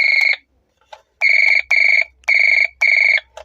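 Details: Revaa cordless doorbell after repair of low-sound problem: loud, clear high chime repeating in short even bursts of about a third of a second, nothing weak or distorted; now working normally.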